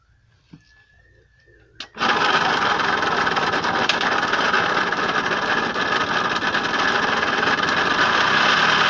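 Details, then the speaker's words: Puch Mini Maxi moped, previously seized, testing the fuel system with fuel hose to the carb and no inline filter: kicks into a harsh, raspy two-stroke buzz with a tinny rattle, very smoky; owner wonders if transmission oil is the cause. "very smoky sounds horrible"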